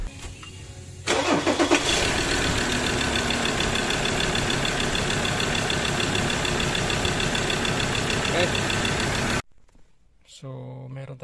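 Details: Mazda BT-50 3.2L diesel cranks steadily for about eight seconds at about three beats a second but never catches; crank-no-start caused by a failed camshaft position sensor.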